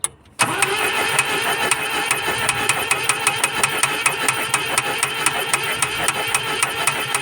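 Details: Volvo 140 engine with spark plugs in good condition, cranked while checking for spark: starter turns it over at a steady pace with sharp, evenly spaced snaps; cranking sounds even and healthy.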